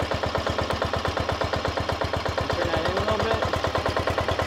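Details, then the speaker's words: Briggs & Stratton Intek 16 hp single-cylinder OHV engine, cold after carburetor replacement: low lumpy idle with steady heavy knock about three a second over exhaust thump; pretty bad rod knock, worn rod bearing. "so that idle is definitely low and this guy's got a pretty bad rod"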